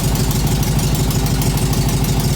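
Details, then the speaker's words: 1966-67 VW Beetle 1500 barn-find survivor, first start after long storage, indoors: loud raw throbby idle with steady low pulse and rasp, little smoke; exhaust leak from holed exhaust. "That's alright actually. Not much smoke. The exhaust has got holes in it which is why it's extra loud and it's indoors."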